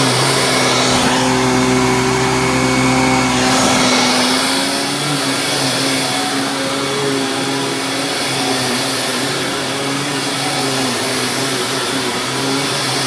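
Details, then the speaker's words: Dyson DC25 upright vacuum with its filter reinstalled: steady, even motor whine and a strong, constant brush roll whir with no rattles or surging; normal healthy running. "with the filter back in you can hear this thing agitates amazingly"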